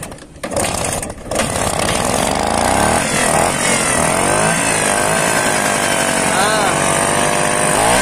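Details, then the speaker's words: Vespa two-stroke scooter after carburetor cleaning, revved hard and held high with a screw slightly loosened to blow out remaining dirt: a raspy, uneven buzz, checked for the rough snoring sound. Clogged carburetor. "Nah untuk memastikan mesinnya udah apa sebenarnya udah bersih gak ada suara ngorok gitu ya"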